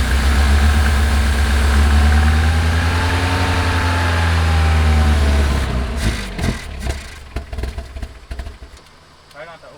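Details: 1979 Lotus Esprit, pulse fuel pump flowing only intermittently through clear filter; lumpy idle about six seconds, then stumbles, sputters and dies in ragged bursts: fuel starvation suspected.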